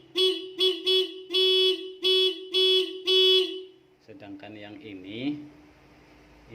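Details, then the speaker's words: Motorcycle's original stock horn tested alone before wiring a second horn in parallel: seven short, bright, reedy beeps at one steady pitch, clean and full; normal horn operation. "Oke, sekarang kita coba satu-satu dulu nih yang bawaan motor, yang originalnya ini bunyinya seperti apa. Oke, bunyinya seperti itu."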